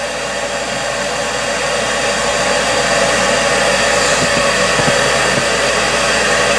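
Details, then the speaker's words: York furnace after repair for four-red-flash fault: steady, even rush of blower air with no cycling off or surging; ran about half an hour without shutting down, problem fixed. "okay it's been running for about a half hour now and it hasn't shut down yet so it looks like the problem is fixed it would have shut down by now for sure"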